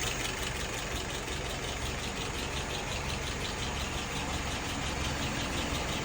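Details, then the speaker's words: Restored carburetor test-run on a 48 engine after float adjustment, idle at about 660 rpm, fuel pressure 2.75, vacuum 23, all right at spec; smooth, even low idle with steady rumble, no knocks, misses or hunting, no nozzle dripping. "Idle RPM right now is about 660. Fuel pressure 2.75. Vacuum is 23. Right at spec."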